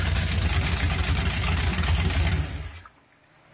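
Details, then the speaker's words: 383 Mopar V8 with a whiplash cam and small-valve heads, fired up in a Charger: deep lumpy idle with choppy cam lope and a sharp puffing tick from an exhaust leak, then shut off. Exhaust leak. "sounds a lot better you can actually hear the cam over the exhaust leak"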